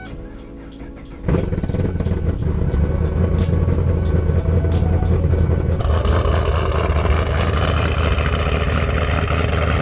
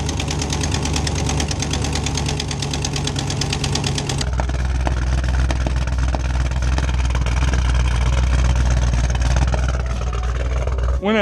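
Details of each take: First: 2010 Camaro SS V8 (BTR Stage 4 cam, long-tube headers) after new header gasket and spark plugs: cranks, catches and idles smoothly, exhaust leak gone. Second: 2010 Camaro SS V8 with BTR Stage 4 cam, long-tube headers and Borla exhaust idling with loud rapid ticking and an uneven beat from a blown header gasket exhaust leak plus a misfire. Fixed with a new gasket and spark plugs.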